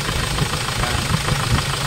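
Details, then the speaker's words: Hyundai Starex diesel, recently overhauled after overheating, now very noisy: idle with heavy uneven clatter knocking; back-click check shows worst injectors are number four, one and three, only number two passes; injectors to be replaced. "Ayan may back siya oh ito mas malakas yung back click so dito na-check natin ang pinakamalalang injector dito yung number four number one number three yan"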